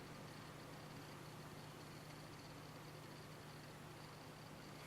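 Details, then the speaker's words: Samsung MD230 monitor after a repair, with a strong burning smell, mic held close to the display: steady low electrical buzz with a faint high whine and crackling hiss, like something internal frying or arcing. "buzzing, kind of a hissing, buzzing sound coming from this region of the display, almost as if something internal is frying. Like it sounds like something is really burning inside."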